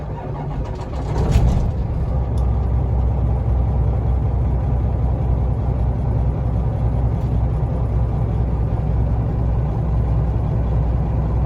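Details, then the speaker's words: 2015 Peterbilt 389 glider, 12.7 L pre-elog Detroit, 10-speed, 288,000 miles, 88,000 since full overhaul incl. head, turbo, injectors; started hot: cranks, catches within a second, deep steady idle, no knocks; responsive, temps up, oil pressure good. Normal diesel start and idle. "low side oil pressure. Super responsive. Sounds good. See the temps up. Oil pressure's good."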